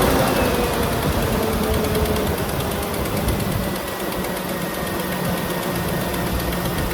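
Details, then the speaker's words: 1999-2006 GM 5.3 V8 idling after replacing the fan clutch, fan and AC belt, checking for interference: steady, even idle with a soft regular pulse and no knocking, rubbing or belt squeal. "Everything looks good. This thing is cool."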